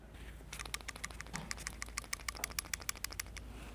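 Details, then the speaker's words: Old variable valve timing solenoid removed from a 2006 Hummer H3 that set timing codes but ran well, shaken by hand: sharp, light clicking rattle as the loose spool valve flops inside; debris also in its screen; replaced. "You guys can hear that rattling. Inside, the spool valve is loose and flopping around."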